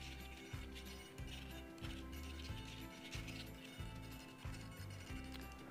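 Short bursts of low whirring buzz start and stop as the surfaces move; that's ordinary digital servo buzz, nothing wrong.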